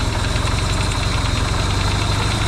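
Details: Yamaha XS650 twin refitted to the bike frame, first start after work to cure oil burning: quick, regular firing pulses at a steady idle, quiet with no pinging or clatter, though smoking, hoped to be break-in.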